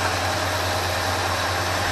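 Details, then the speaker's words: 1980 Ford F350 after carburetor rebuild with new choke pull-off and looped coolant hose heating the choke housing: idle mixture screws adjusted, engine now idling fairly smooth, a steady even low hum with no misses, knocks or hunting; normal idle. "that's got the idle fairly smooth right there"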